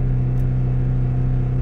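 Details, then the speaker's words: 2015 Audi Q7 3.0 supercharged engine held at steady revs, giving a deep drone with an uneven, stumbling misfire pulse. High-pressure fuel pressure is low from a failing high-pressure fuel pump. "obviously you know I'm misfiring D D D D D you can hear it it's kind of keeping the RPMs steadily"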